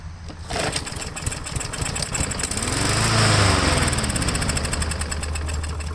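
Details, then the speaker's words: Craftsman lawn mower with stale ethanol gas left too long, choke closed, primed: fires and runs unevenly a few seconds, speed swelling and sagging, only on prime; carburetor suspected. "so i just primed it nine out of ten pro nine out of ten times it's usually the carburetor because of the ethanol yes the gas has been in there too long"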